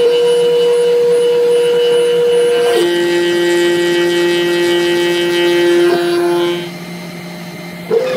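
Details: Cheap Chinese 500 W spindle cutting MDF with a dull bit: a clean, quiet whine that drops in pitch as the bit loads and recovers after. Quieter than a 600 W router; the owner notes slight vibration, blaming the caked Delrin nut. Normal.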